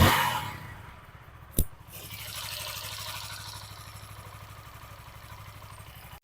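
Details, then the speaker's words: TVS Apache RTR 160 4V after rocker/timing and tappet setting plus new oil and filter: starts on one kick, settles into a smooth steady single-cylinder idle with no ticking or knocking; healthy, normal. "एक kick में back start होगा और engine का sound मस्त मला मखन निकल रहा है"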